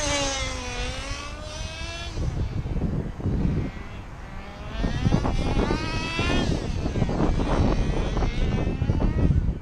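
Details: Old nitro engine in a Tamiya TGX Mk1 Nissan R390 GT1 RC car on track, with a leak at the front; high buzz rises and falls cleanly with throttle, running reasonably well and pulling smoothly.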